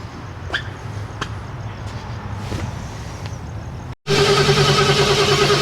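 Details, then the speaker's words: 1965 Oldsmobile Cutlass project car, heard from outside: engine catches and settles into an uneven, stumbling beat about three per second with dropped firings; missing badly. "Outside perspective. Sounds good. It sounds like shit. It's missing really bad."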